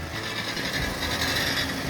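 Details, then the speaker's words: 2012 Ford F-150 3.5L EcoBoost at start-up, especially on cold days: sporadic dry metallic buzz-rattle over the engine, hard to pinpoint by side, from a loose exhaust heat shield, fixed with a hose clamp. "When starting the vehicle, especially on cold days, a sporadic metal rattling sound can be heard."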